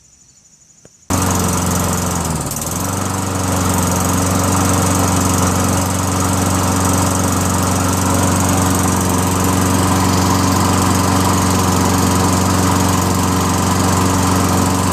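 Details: Toro Recycler 22" self-propelled mower, 6.5HP Tecumseh engine, after clearing hydrolock, carb clean, new needle, float, bowl, gasket and replaced dented jet nut, fresh fuel: catches after a second, steady even drone, no surging or stumbling.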